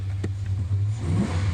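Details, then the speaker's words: 2000 Dodge Dakota 4.7L 4x4 gas, 161,000 miles, stored in a barn 2 or 3 years: deep throaty V8 rumble rising cleanly on throttle blips, no knocks or misfires; runs good, normal revving. "I don't know if you can hear that. It's got a little bit of throaty sound to it."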